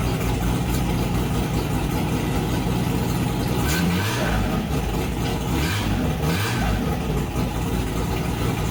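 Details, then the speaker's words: Holden 202 six-cylinder in a UC Torana, first startup after fixing oil pressure problems, fresh run-in oil, straight-out exhaust headers, no radiator, lumpy cam: loud choppy idle with blips, running evenly without knocks. "it seems to be running okay I'm just running it straight out the strachies at the moment so she's pretty noisy and got a reasonably lumpy cam in there um but uh sounds good sounds good so far"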